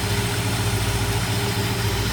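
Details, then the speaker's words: 1968 Ford Ranchero 289 V8, just started: smooth, even low rumble with steady beat, no misses, knocks or ticks; well-balanced engine idling cleanly despite nearly 60 years. "Take a look at that 289 with it running. Very well balanced engine in this car even though it's almost 60 years old."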